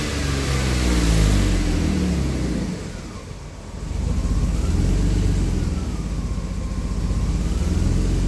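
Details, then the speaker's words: AJ30 Jaguar / Ford Duratec V6 in a Gilburn Invader on ME360 ECU, after changing VVT control valve settings: steady low idle hum, a brief dip then settling even; idle considerably better than before. "Well, I will say that idle is better. but considerably better. So, I think that's an improvement."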